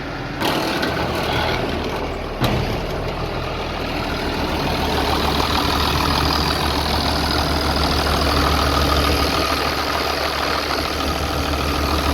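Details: 3588 tractor, 7,338 hours, freshly rebuilt diesel and tight new hood: steady, even clatter and low rumble at idle with no knocks or rattles. Quiet, healthy normal idle.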